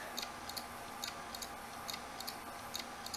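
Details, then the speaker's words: Dead, opened low-rpm small-platter hard drive run in a caddy after its fingerprint-smudged platter was cleaned: faint paired head clicks about once a second over a hiss. The drive still won't read and is completely dead. "nope okay yeah this this drive is just like completely gone"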